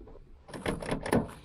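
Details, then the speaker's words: Toyota Aygo passenger door can't be opened from inside or outside: short plastic clunks as the handle is worked show the latch mechanism acting, but the door stays jammed shut. "Voilà, bon alors concernant la porte, ben, on ne sait plus l'ouvrir. Ni de l'intérieur ni de l'extérieur. Pourtant on entend bien que le mécanisme agit."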